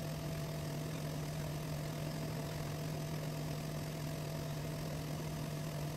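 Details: Diamond turning lathe cutting a homemade record after zeroing the stylus tip by reflection: steady low hum with soft even hiss and no knocks or chatter; the chip pulls off nicely and spools on the center nut/washer. Normal cutting.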